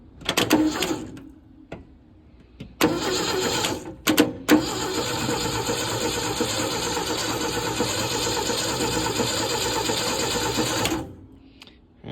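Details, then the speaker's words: 1972 Ford F100 being revived, starter run by jumping the solenoid: strong, even cranking churn at about three compression beats a second, held steady for several seconds. The engine spins over healthily and sounds good. "So now I'll just jump the solenoid right here. See, give her a whirl. See what she sounds like."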